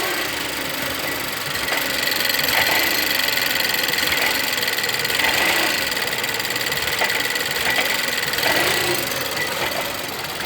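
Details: 2011 Volvo S60 T4 180 hp Powershift, idling: light fast ticking and occasional louder knocks over a hiss, apparently from the left, below the turbo pipe near the belt pulleys. It is heard for 3 days and is worse with light throttle or quick steering, quieter at higher rpm. Owner suspects mounts; cause unknown.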